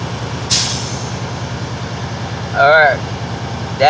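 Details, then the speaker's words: Air brake test on a truck at diesel idle: sharp hiss of air then two shorter puffs as the air dryer purges at governor cut-out, indicating the tanks are full. "right there is the indication that your tanks are full so go ahead release the accelerator"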